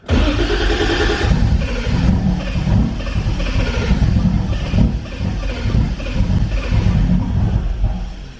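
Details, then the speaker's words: Toyota Supra that left owner stranded: slow even cranking with occasional catching puffs, never runs; fuel pump primes and fuel reaches rail, belt has tension, AC pump spins; owner wonders about low battery voltage, unconfirmed; crank no start. "trying its hardest to start, man. It's trying hard. It just won't start, and I don't know why."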